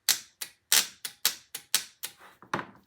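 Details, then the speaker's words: Starter solenoid clicks sharply about three times a second with no cranking; the coil pulls in but the contacts are probably burned from years of use, so the starter does not turn. "no the coil is working the contacts are probably burned up from use over the years if it's clicking like that and and your starter is not starting"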